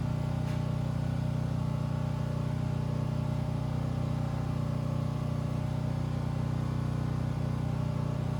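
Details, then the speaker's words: Turbo methanol engine after teardown, first fire-up, 1 psi oil pressure: steady even cranking about three beats a second that never catches; crank no start, owner suspects fuel lost its prime. "Maybe the fuel has lost its prime. It's kind of what it's acting like."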